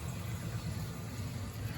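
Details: Circulator on a 1980 Peerless gas steam boiler. Quiet, smooth, steady low hum with no knocking or rattling; the pump runs evenly.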